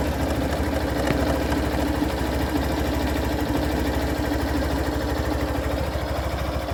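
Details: Hero Thriller 160 cc single-cylinder at idle: an uneven light ticking clatter rides over a steady idle, seemingly from the top end, source unclear; abnormal engine noise.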